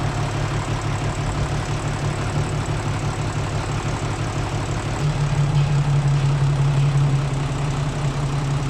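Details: Hino 0-6 truck diesel engine after engine repair: settles into a steady low rumble at idle, firing even and unchanged throughout; normal idle.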